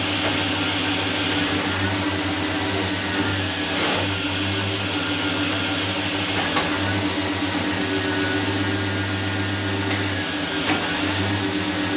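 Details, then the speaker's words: LS-swapped truck after retightening torque converter bolts (flex plate replaced): steady, even idle with a smooth low drone and no ticking or rattle from the flex plate area. "We're gonna see if it ticks. Yeah. No tick, it's amazing what will happen when the bolts are friggin' tight."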